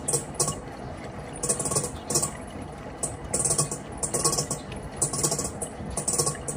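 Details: Panasonic washing machine running: light clicking rattle in bursts about once a second over a quiet hum; something inside is rattling, abnormal.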